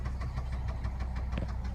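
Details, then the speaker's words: 2001 Volvo S60 turbo automatic, 86,251 miles, idling: sharp steady knock about six times a second over low rumble; suspected wrist pin or rod knock, turbo good. "you can hear there's like a little guy in there wanting to get out probably got a risk pin or a rod knocking"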